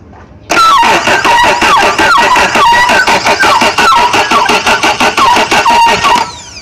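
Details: Suzuki outboard on speed boat, fuel primed: loud starter cranks in steady pulses about six seconds but engine never catches; cause unconfirmed, possibly flooding.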